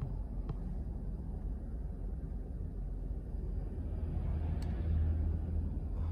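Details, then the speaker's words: 2010 Lincoln Town Car Executive L, 4.6L V8 flex fuel, about 374,000 miles, in park: deep uneven idle bouncing between 500-700 rpm with faint crackling of unknown source. "I don't know it just feels like it's not running smooth and then you can kind of hear a little bit of crackling in the background I don't know where that's coming from but"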